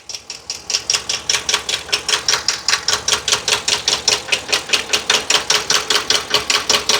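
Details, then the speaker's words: 2022 Ford F59, 7.3 L gasoline V8 with a P0300 random misfire code; listened with a screwdriver at each cylinder. Sharp, even top-end ticking about 2.5 per second at cylinder 3; cylinders 1, 2 and 4 quiet. Vacuum gauge shows no valve or timing problem; camshaft suspected. "El cilindro número 3, aquí está el ruido. El cilindro número 4, nada."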